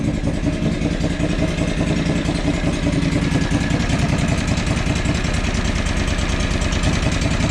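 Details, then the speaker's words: John Deere 445 lawn tractor twin, coil tested good yet still running badly: loud, lumpy beat of about two and a half pulses a second, stumbling unevenly, only slightly better than before; other problems suspected; engine misfire, rough running. "that coil is good so huh and it still runs like crap so what does that tell us tells us we got some other problems right"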